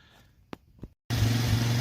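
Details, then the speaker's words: Quad pulled from the trash, believed GY6 engine, no transmission (forward only), first start attempted as-is. After a short quiet stretch the little single catches and settles into a steady, even low putter. "well guess what it runs woo"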